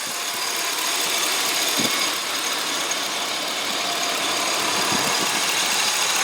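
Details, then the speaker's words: 2003 Chevy Tahoe LT, 5.3-liter Vortec V8, engine bay idle: even, quiet idle under a steady hiss, no lifter ticking, valvetrain noise or knocks; said to run like a 50,000-mile truck. Normal healthy idle. "as you can hear it is quiet as can be there are no uh lifter noises there's no valve train noise there's no high rev knocks"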